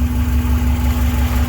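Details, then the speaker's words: Subaru boxer idling after water pump replacement, steam near the water pump hoped to be burning off: short, even idle with steady low rumble and faint constant hum, nothing irregular; motor sounds a lot better. "i'm hoping that's just what it is yeah sounds good now actually the motor sounds a lot better"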